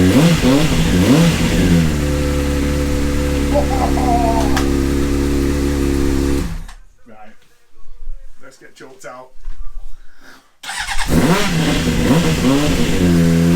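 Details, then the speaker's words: Honda CBR600 motorcycle, stood 9 years, 7,000 miles, seized fuel pump replaced: smooth even engine note rising cleanly on throttle and settling back without misfires; normal running and revving. "oh yes absolutely buzzing we've picked up the bike and she runs and she sounds Beau beautiful"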